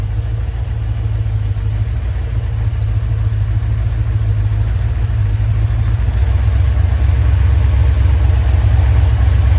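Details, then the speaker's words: Rebuilt 1990 Mopar 318 V8 from a D150 truck (Comp special-grind cam, Air Gap Magnum intake), vacuum advance now on manifold vacuum, about 29° at idle, 33° total; rpm rose 100; deep steady burble, slight speed rise near end, throttle responds fine, healthy. "It's on about 29 idling. Whenever I hit the throttle, it seems to respond fine. And I've got it on 33 total still. I think it's happy."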